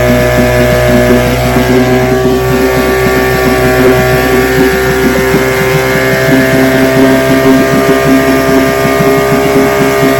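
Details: Restored then repaired vintage outboard, day four test, started at full throttle: steady, even two-stroke buzz holding one pitch, no misses or surging; running cleanly.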